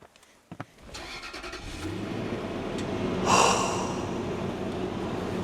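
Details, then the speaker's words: Car with a suspected gas leak, started after priming the fuel pump with the key at ACC (the pump seemed to run longer than normal): a couple of short cranks, then it catches and settles into a steady idle; a clean start, leak not confirmed fixed. "See, okay, that's a good sign. That doesn't mean the gas leak's fixed, but at least means we're probably driving out of here."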